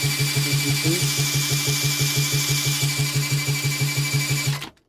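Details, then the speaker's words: British Seagull 102 outboard turned over by a drill; an even pumping beat about three a second with a firm puff each stroke. It has spark and good compression; carb cleaning is thought to be needed. "so yeah turns over got a good bit of compression you could hear it pumping so uh it's got Spark It's got compression"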